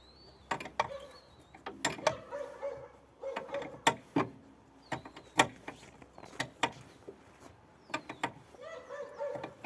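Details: VAZ classic front suspension: creaky squeaks and sharp clicks with each push, heard when driving and turning the wheel, caused by a worn lower ball joint.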